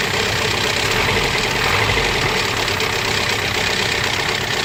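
Engine idling with a busy, rattly metallic chatter on top of the steady run, consistent with a noisy timing chain.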